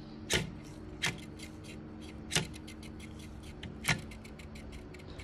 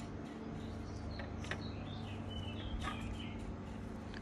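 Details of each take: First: PNY RTX 3060 GPU fan off its axle with dried-out grease: low hum with irregular sharp clicks and ticking from a dry, wobbling bearing. Fixed by oiling the motor and pin with sewing oil. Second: PNY RTX 3060 GPU fan after repair by lubricating the motor and pin with sewing oil: soft steady low hum, no rattle or grinding, fully silenced.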